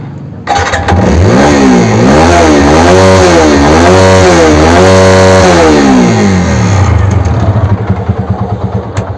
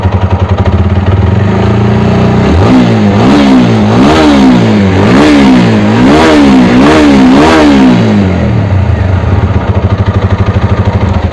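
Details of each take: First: TVS Apache RTR 200 4V before repair, with a bad engine note, revved repeatedly; rough clattery noise over the exhaust; mechanic suspects a piston seizure. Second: TVS Apache RTR 200 4V single-cylinder after repair of its engine noise; revs blipped up and down, rising and falling cleanly with no knock or rattle; engine sounds healthy and is ready for delivery.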